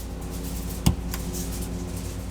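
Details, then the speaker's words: Vintage Blaupunkt classic-car radio after restoration, first bench test on a battery: two sharp speaker pops a quarter second apart over a low hum, with no audio. It has output and switches on and off but gives no sound. "well i can hear the speaker popping but i'm not getting any audio so it's got output but no sound you can hear it switching on and off just don't have any sound"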